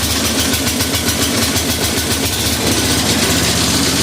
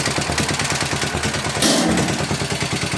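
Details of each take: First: 1961 International Harvester Cub Cadet Model 70 with 7hp Kohler single-cylinder, restarted on choke at half throttle; steady idle with a tinny metallic buzz from the loose fuel tank, not the engine. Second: 1961 International Harvester Cub Cadet Model 70, 7 hp Kohler single-cylinder, restarted after a couple hours, choke pulled, half throttle: steady thump about three beats a second with fuel tank sheet-metal rattle, not the engine; runs normally.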